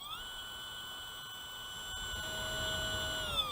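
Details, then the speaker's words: Micro Flash Gamma combat robot weapon brushless motor, held near microphone under throttle (box rates it 3–6S): steady high electric whine that never climbs and sags at the end; runs slow from insufficient voltage. "You can probably hear a distinct sound difference there. Slow."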